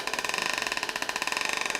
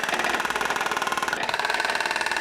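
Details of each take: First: U-joint demonstration fixture: transmission turns at constant speed while fast even pulsing whir wavers in pitch, about twenty surges a second; bent u-joint makes driveshaft speed oscillate into the differential. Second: Driveshaft demonstration fixture with transmission tail shaft, driveshaft centre section and differential all in line, no U-joint bend: even, steady motor drone with light regular pulse, no clunks, shudder or vibration.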